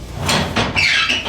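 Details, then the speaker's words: Heavy watertight, gas-tight door in an off-grid underground shelter, each joint with a bearing and Zerk fitting: high, wavering squeal rising and falling as the door swings; the hinge bearings are dry and need grease, not a serious problem. "Oh, I need a little grease. You hear that squeaking, but that's not a problem."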